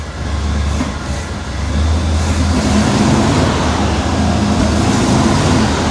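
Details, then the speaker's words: Scrapyard square-body Chevy C-10 V8 just after loose header bolts were tightened to stop an exhaust leak. It runs with a deep, uneven, lumpy beat, much better than before but still not running right or settling to a smooth idle. "That sounds 100% better. It's still not running good though."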